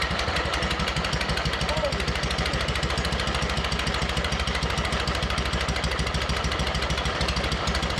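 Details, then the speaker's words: MTD mower twin-cylinder engine, flooded, smoking oil from the exhaust, one head gasket replaced: rough chuffing pulses about three a second that almost catch but never settle into a clean run; a sheared flywheel key has thrown the ignition timing off. "i i don't know about you but it actually sounded like it was starting to do so yes it did it's such a [ __ ] teaser"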